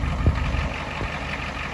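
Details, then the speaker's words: 1989 Ford F250 7.3 IDI diesel driving after fitting used injectors from a '91 parts truck: steady drone under way with only a couple of soft thumps, no stumble or misfire, unlike its earlier smoking and misfiring at 2,000 rpm. "Definitely driving pretty good. All right, well, let's head back. No misfires, look at that."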